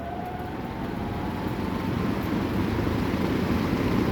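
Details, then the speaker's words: Spin-down from high speed of 40-inch Maxx Air Pro Flex drum fan with new belt; coast-down shorter because of added belt tension: airy rush with faint tone sliding down, no rattle or rubbing; normal spin-down. "Which spin down has actually decreased with the new belt since there's now more tension from the belt, but start it up on low. Take it to high. Here's spin down from high speed."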